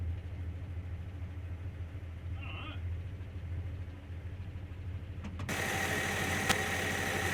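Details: First start after head gasket, reconditioned head, water pump and hoses replaced: low even pulsing idle, then revs up and holds, no heavy knocks or clatter; running, nothing sounds terrible.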